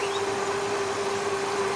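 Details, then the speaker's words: Steady mid-pitched whining whir over a hissy engine bay on an older vehicle with a transmission leak; owner suspects the torque converter (leak possibly the pump seal), not confirmed. "if y'all can hear that whirring noise that kind of whiny worry i think that's the torque converter"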